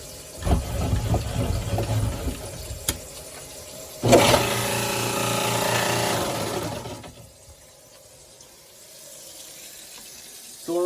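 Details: Garbage disposal that hummed while jammed, after freeing it by turning with an Allen wrench/disposal key: a few clunks, then the motor spins freely for about three seconds with ice rattling through before winding down; runs normally.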